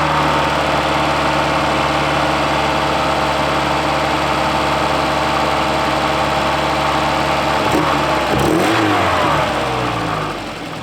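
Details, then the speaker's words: 1984 Volvo 240, sat outdoors since about 2012, first start after the ignition was plugged back in: steady, even idle with smooth clean revs, no knocks or misses, running healthy. "w you guys got to hear this thing running just purring like a kitten I can't believe it"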